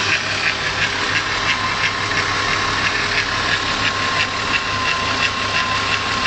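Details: VW VR6 engine with a light, regular tick of about three per second riding over a steady idle hum. The cause of the tick is unknown.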